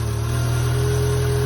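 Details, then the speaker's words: Subaru Sambar kei truck, carbureted, after winter storage, fuel pump cycled and carb bowls filled: small engine ticking over smoothly with steady low drone and faint even hum. Fuel supply restored, normal idle. "all right put the air filter back up all right she sounds pretty good"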